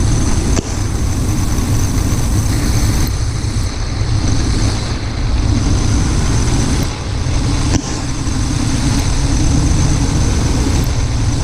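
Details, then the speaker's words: Truck engine with intermittent rough idle, fuel filter already replaced, owner suspects fuel injectors; injector disconnect test at idle: significant change when number six is cut, so that injector is contributing. "okay you can hear a significant change on number six number seven and you hear a drop in rpm here and you can hear a little bit of a drop on eight"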